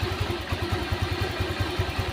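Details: Honda Vario scooter being tested for radiator coolant loss, overheating and warning light, after water pump circulation check, left idling about 10 minutes: steady, even idle with a regular low thump and no rattle or knock.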